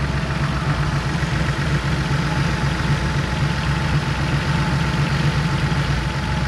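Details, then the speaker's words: Porsche Carrera 3.2 flat-six at idle after oil change and valve adjustment, still warming up: smooth, even pulse with no valve clatter standing out; valves definitely quieter, healthy idle. "valves are definitely quieter and I am still warming up so we will do the rest of the fill here soon"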